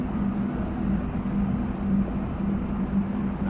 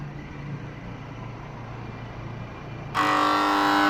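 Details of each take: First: Panasonic air conditioner compressor that had been very loud and wouldn't start, now running after adding refrigerant at 3.7 A of a rated 5 A: steady low hum with no knocking or rattling. It is running normally. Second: Panasonic air conditioner outdoor unit: a low hum, then a sudden loud, harsh buzz for about a second and a half before it cuts out, the compressor clunking repeatedly and failing to start.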